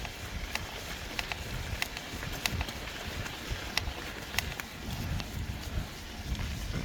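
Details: Trek Fuel EX-e ridden over rough trail: sharp, irregular cracking and creaking from somewhere in the frame, with trail noise; the source is not pinned down.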